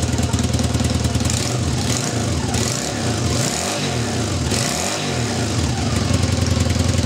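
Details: Honda CB250N after stator rewound (379 ohms, over 118 V output): fires up on choke, slightly uneven beat with throttle blips, then runs cleanly; normal running.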